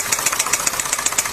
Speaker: Tiếng piston reo khi vận hành.